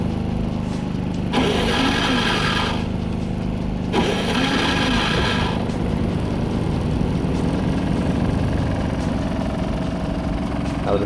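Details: Predator 3500 generator after no-start repair and reassembly with gaskets: two rising pulls, then fires and settles into a steady, even low hum without stumbling; starts and idles well.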